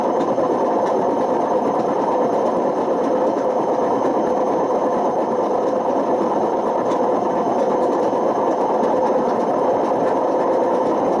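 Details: Washing machine with badly worn drum bearings: constant coarse rumble and grinding while the drum turns. The bearings have damaged the spider and worn the motor.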